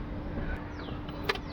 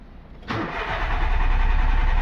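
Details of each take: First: VW Polo petrol engine, crank-no-start from damaged fuel pump wiring; after wiring joint repair, low even electric pump hum with a few handling clicks as fuel arrives; pump runs normally. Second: VW Polo petrol engine, ignition on, all lights working: starter cranks at a steady even pace but it never catches; crank no start, later traced to faulty fuel pump wiring.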